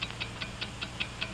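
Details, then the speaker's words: Mechanical wristwatch ticking steadily and accurately at five ticks per second; crisp evenly spaced ticks, nothing skipping or dragging; movement running normally. "what do you hear it's the ticking of a fine one wherever you go whatever you do America's fine watch ticks steadily accurately on five ticks every second"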